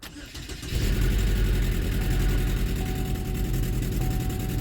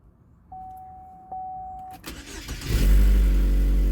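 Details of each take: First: 2012 Chevy Equinox/Terrain, first start after engine install: starts much easier after reattaching ground wire but runs with uneven stumbling beat; code still shows cylinder 3 coil, likely misfire from failed ignition coil. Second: 2012 Chevy Equinox/Terrain with junkyard replacement engine, first start after install and reconnecting a loose connector: clicks, quick cranking, catches into strong steady idle; loud exhaust suspected from exhaust manifold not seated to collector, slight stumble noted afterward.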